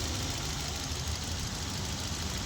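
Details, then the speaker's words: Hyundai i20 petrol with P0300/cylinder 3 misfire code, idling with the cylinder 1 injector connector unplugged: uneven, stumbling low idle with irregular dips; missing eases once the connector is refitted. "Engine missing करने लगा है। यह लगाते ही missing भी कम हो जा रहा है।"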